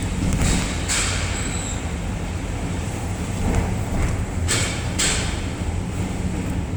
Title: 2011 Ford Edge making noise while steering left up parking ramp Oct. 2018 (What is it???)